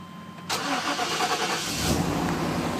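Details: 1995 Chevy Tahoe LT 4x4 K1500, 5.7L V8 with TBI and a brand-new starter: a short starter spin, then it catches immediately and settles to a steady, even idle. A clean, normal start.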